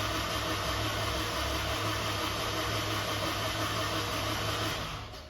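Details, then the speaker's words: Dry crank of freshly built F24 engine with no spark plugs, injectors unhooked, no belt, to build oil pressure: even steady starter whir, turns freely with no catches or knocks; oil pressure achieved, no leaks. "we're going to go ahead and crank over the car we have no spark plugs fuel injectors are unhooked we do not have a belt but we're going to go ahead and get oil pressure see how she sounds"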